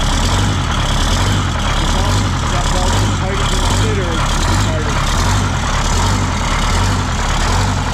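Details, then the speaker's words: 1977 MCI coach with 8V71N Detroit Diesel, just started after freeing three stuck injectors that caused a runaway: deep steady idle with an even throb just over once a second, no misses or knocks; about 50 psi oil pressure, still cold, warming up. "yeah it's got good oil pressure man she's like 50 pounds just got to warm up yeah we're going to let it warm up"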